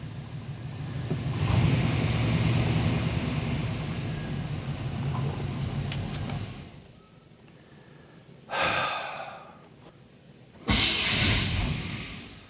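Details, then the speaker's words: 1987 Chevy C10 with a 305 TBI engine: it starts, runs a few seconds and dies, and catches briefly on two restarts that fade. The cause was rust and grit packed in the injector bowls, fixed with a throttle body rebuild. "If you've got one of these old fuel injected trucks and you kind of crank this thing up and it runs for a second, dies, you start it again, runs for a few more seconds, then it dies."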